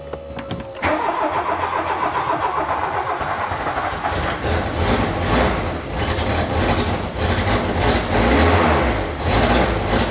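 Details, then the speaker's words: Mk2 VW Golf GTI barn find with swapped-in original GTI engine, first start after fuel pump relay jumper: sharp ticking puffs keeping time with firing over the idle; a bad exhaust leak, though idling better. "that is a running Mark II Golf GTI doesn't sound great that is a fine it's got a mean exhaust leak"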